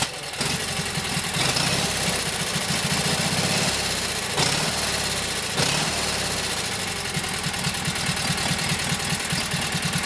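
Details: Kohler KT17 twin on first start after rebuild (lost governor), warm, oil pressure 50; steady, fairly even fast idle with crisp exhaust beat, runs healthy; carburetor still to be tweaked, max speed to be set around 3,000–3,600 rpm with a tachometer.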